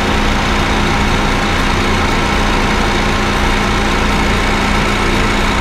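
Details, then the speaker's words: Honda Fit GD3 idling with the AC on, after adding Power Aircon additive via the low-pressure port: a faint steady drone remains but is quieter than before and starts fading. Slightly low refrigerant in the compressor is suspected. "ちょっとマシになりました、ね、まだ少し鳴ってますが、ちょっとマシです、ね、あ、音消えてきました。"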